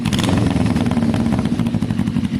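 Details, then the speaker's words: Carbureted Kawasaki cafe racer motorcycle at low idle: a loud, choppy exhaust with small stumbles and a slight splutter, and revs hanging. The owner suspects the carbs need air-fuel screw tuning, balancing, slight upjetting and a high-flow filter. "It's just a tiny bit spluttery."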